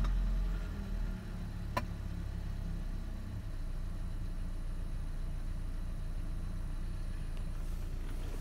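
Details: Ford Ranger with a high-idle problem that only occurs with HVAC on: after switching HVAC off, the engine briefly dips, then settles into a steady, even low idle with no hunting or roughness; normal idle.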